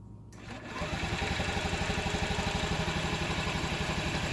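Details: 2012 Honda Ruckus; spark and fuel flow confirmed, carb already cleaned. Starter spins it at a steady four beats a second and throttle changes the sound, but it never fires. No start, solved by a new carb: the old one was gummed up.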